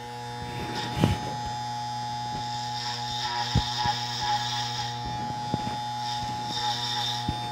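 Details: Dropped Andis Masters hair clipper after a full service, tension/power tuning and oiling: a smooth, steady buzz that holds even, with no rattle or stutter; it is running healthy.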